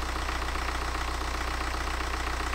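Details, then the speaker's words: BMW N47 diesel refitted after a broken timing chain repair, first start, run briefly without coolant: smooth, even idle with a steady low beat and no shake, knock or vibration; normal idle. "run baby run I've got no antifreezer at a minute so we can't run it for too long but oh what about that sweet as a nut as well look at it no vibration"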